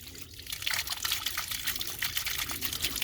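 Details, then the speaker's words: Ram pump just after the check valve was adjusted and a shorter pipe fitted under it: irregular gurgling and trickling with fizzy splashes as air bubbles out; the owner suspects a hole in the line letting air in. "You can hear it bubbling air out of it."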